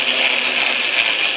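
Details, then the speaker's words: Atlas Craftsman lathe after tumbler shim install, running in reverse: high gear whir with pulsing grumble about three times a second; owner suspects something lacking play or lash. "still feels a little grumbly like I got something without enough play in it without enough lash that sound is right"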